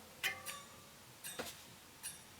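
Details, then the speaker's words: Bicycle mechanical disc brake after caliper adjustment, rotor slightly bent in storage: light uneven metallic ticks as the front wheel spins, disc rubbing the pad on one side; fixed by a quarter-turn on that side, then silent. "we can hear very slight voice, but it's actually hitting on the brake disc is actually hitting the pad on this side."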